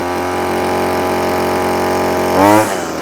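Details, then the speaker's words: Line trimmer two-stroke with cheap Amazon replacement carburetor, warmed up, trimmer line cut shorter: even steady idle with no hunting, slightly high, then a brief clean blip; running fine. "that sounds better already with the the nylon been cut back you know what [Music] there's nothing wrong with that that's good it's revving a bit High now it's warmed up"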